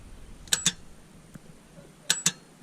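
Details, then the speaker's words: 2007 Mazda 3 hatchback with a no crank, no start. A power probe applies power to the starter solenoid terminal and gives two sharp clicks with no motor spin, the same noise as at the key. The solenoid engages but the starter motor isn't turning. "and that's exactly what we're hearing that's the same noise we're hearing when we're turning the key and the starter motor is just not spinning"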